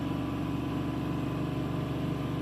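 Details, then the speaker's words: 2010 Chevrolet Silverado (4.8/5.3/6.0L V8) with P2135 reduced engine power, after throttle body cleaning, TPS replacement and relearn cycles: restarted engine holds a steady raised idle with no dip or settle; high idle, later returned to normal. "Start it up again. Oh, it's still doing this high RPM thing."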